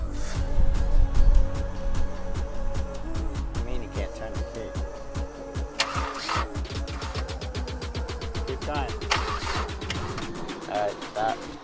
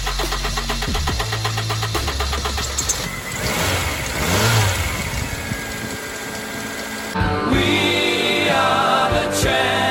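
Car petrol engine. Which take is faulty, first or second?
first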